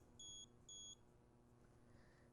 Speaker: sometimes if you move too quickly you hear the beeping and remove the water before it successfully registers that it's detected a leak